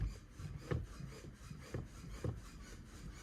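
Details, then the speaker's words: Manual car with the engine off and in neutral, listed as having a slipping clutch and refusing gears when running: a dry creaking squeak about twice a second as the clutch pedal is pumped. "and I put the foot on the clutch and you can hear it squeaking away"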